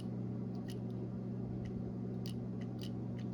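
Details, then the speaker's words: New EVAP vapor canister vent solenoid for a 2008 Nissan Pathfinder bench-tested with a 9-volt battery for codes P0455/P0456: faint, sharp clicks come and go over a low hum, so the new solenoid works and the old one is dead. "That tells us the new one is working."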